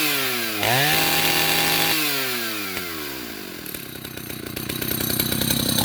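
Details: 1974 Husqvarna L65 vintage two-stroke chainsaw, cleaned up: revs up crisply, drops back, revs again, pulling clean and even; healthy and strong.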